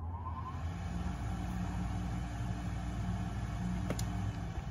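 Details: RadonAway GP501 radon fan, working unit: steady low whooshing hum with even airflow rush, normal running; contrast to same model from 2005 whose seized bearings caused loud buzzing.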